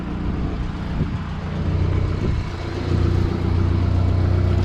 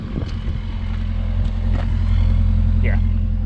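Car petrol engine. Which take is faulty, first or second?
first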